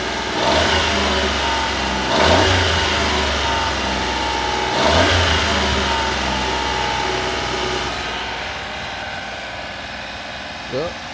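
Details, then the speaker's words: 1996 Honda Acty mini truck, 660cc 4WD, cold start: three quick throttle blips, then a smooth, slightly high idle that holds steady, high because it's cold and expected to drop once warm. Normal cold fast idle. "there's a cold start in couple little rivs it's riving a little high because it's cold once it warms up it'll idle down a little bit"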